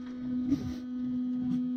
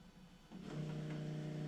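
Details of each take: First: Supercharged Nissan VK56 V8 in a Nissan Gloria with Link ECU, fuel pump: steady low buzz with no spin-up, pump seems to buzz the stator without turning much; cause suspected, not confirmed. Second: Supercharged Nissan VK56 V8 in a Nissan Gloria with Link ECU, not starting on low fuel pressure, both pumps switched on: steady low electric hum of the main fuel pump running, surge pump not yet heard.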